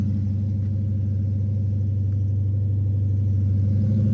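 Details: 2010 Dodge Charger just after first startup after destroying a set of heads: steady, even low idle rumble with no knocks, ticks or misses; engine sounds healthy.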